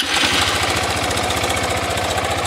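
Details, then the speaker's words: Motorcycle 160 engine at idle with cam chain checked OK: hollow metallic tapping in time with the idle, about ten knocks a second. Early-stage piston slap (piston skirt knocking), still mild and expected to worsen. "esse barulho dela é é o pistão canecando. Beleza? Ela tá canecando o pistão, tá com começo, né?"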